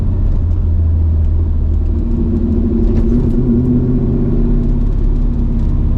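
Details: Mercedes C55 AMG, nearly warmed up (issue appears once warm), after a crankshaft position sensor replacement: a steady rumble holds raised revs instead of dropping to idle, then wavers; revs still hang on deceleration, not fixed.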